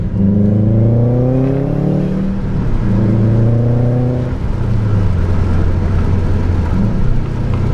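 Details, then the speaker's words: Subaru test drive after replacing failed cylinder 3 ignition coil (P0303 misfire) and adding high-mileage oil: clean, strong boosted pulls through the gears, smooth rising note, no stumble or hesitation; healthy acceleration. "sounds good to me sounds real good to me sounds really good"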